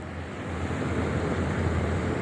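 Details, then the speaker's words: Maspion CEF-20 exhaust fan running: steady low rumble with an even airy whoosh, no knocks or rattles; smooth, with some rumbling but not bothersome. "suaranya, halus gitu ya. Ya tetap ada menggelegar, tapi kalau di WC yang nggak terlalu mengganggu gitu, malah justru saya ada temennya."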